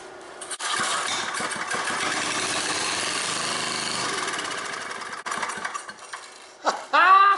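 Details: Old scrapyard Briggs & Stratton generator (guessed late 70s or early 80s), first start in years, with stale water-contaminated gas found and the tank empty. It catches and buzzes about four seconds on the prime, then dies; no fuel.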